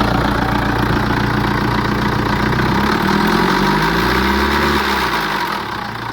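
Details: BMW 5 Series N47 diesel at idle before the timing chain and guides were replaced: a metallic rattle about three to four times a second over the usual diesel clatter, typical of a worn timing chain and guides.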